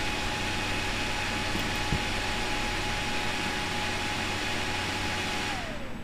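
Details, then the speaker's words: Desktop PC motherboard with a failing northbridge BGA connection: a steady fan whoosh with a high tone holds, then drops away as the fan slows when the board posts with thumb pressure on the chipset heat sink. "you'll hear the fan slow down once it posts"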